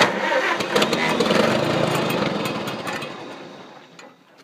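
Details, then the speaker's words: Engine that would not start; owner suspects flooding or moisture in the distributor cap and fiddles with wire contacts: starter churns about 3.5 beats per second, engine coughs but never catches, winds down; cranking, trying to catch. "Some wires to start fucking with some of those contacts. It's trying to start. on, baby. Be good to me."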